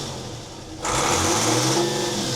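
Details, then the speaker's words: Volvo Penta TAMD 71B marine diesel, stood 10 years in a partially sunk abandoned boat, first run: quiet idle snaps to a high strong roar when throttle punched, revs cleanly without stumbling; normal throttle response. "I'm going to give it a punch. Yeah, that's it. Give it a punch."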